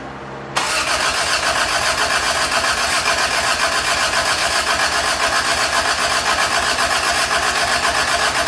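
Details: Toyota Tercel 3A-C carbureted engine just reinstalled, cranking to build oil pressure and fill the float bowls, timing uncertain: even starter churn about four beats a second, never fires; fuel was not hooked up; crank no start, no fuel supply.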